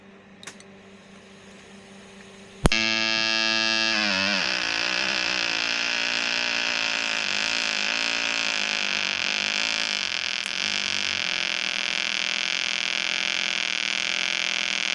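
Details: EWM Tetrix XQ 230 Puls AC/DC Expert 3.0 TIG welder, pulsed with Active Arc: arc strikes with a crack then steady hiss pulsing a few beats a second; machine lowers amperage once the workpiece is hot. Normal pulsed welding.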